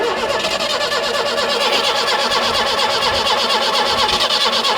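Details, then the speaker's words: 1976 Peugeot 204 barn find sat about ten years, first start attempt with choke and old fuel: starter churns steadily for seconds, never catches; no fuel reaching the carburettor bowl, fuel starvation. "all right let's not cook that nice new starter motor ish ancient old smells of old fuel so that's nice not getting any uh not getting anything in the bowl there"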